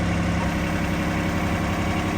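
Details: 2025R tractor idling after its broken H130 loader hose was replaced, with the loader working again: steady, even diesel clatter at constant idle speed with no surges or knocks; it runs normally.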